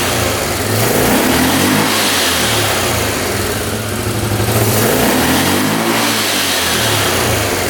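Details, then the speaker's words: 1998 Yamaha Grizzly 600 single-cylinder ATV that wouldn't exceed 10 mph, after a new CDI and fresh fuel and oil: fires and revs cleanly to high rpm and back, even exhaust note with no carb popping or stumbling; normal start and free revving. "That sounds pretty darn good. See how high that was revving? I think that might have been the fix."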